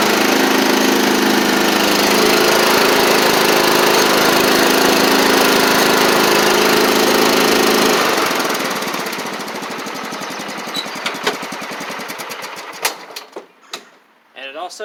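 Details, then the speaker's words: John Deere LT150 mower single-cylinder with an even steady beat, then winding down smoothly, after exhaust gasket and nuts repair (previously had no exhaust) and new transmission belt; running as it should. "As y'all can hear, it sounds like it's supposed to, which is good."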